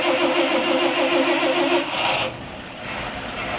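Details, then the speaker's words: 1955 Chevrolet 4400 1.5-ton flatbed with the bigger six-cylinder, floor push-button starter, cold after sitting all day; catches with a little gas and runs with an even lumpy beat before settling lower, a normal cold start. "let's uh fired up let me uh show you what this thing sounds like this is still got the floor push button starter"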